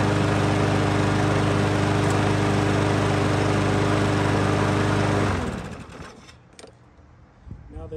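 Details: Troy-Bilt TB110 mower with Briggs & Stratton plastic carburetor, customer says it quits after a while, possible coil problem; oil topped up, cold run outdoors: steady even single-cylinder beat at full governed speed for five seconds, then shut off; normal running.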